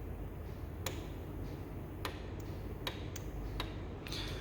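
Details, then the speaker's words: Valve lift control solenoid removed and bench-tested on 14 V supply drawing 1.6 A: six sharp, crisp clicks over a low bench hum as it snaps over, actuating properly, unlike the other solenoid which draws the same current but stays silent. "this one it's ping 1.6 amp okay and you can hear it clicking"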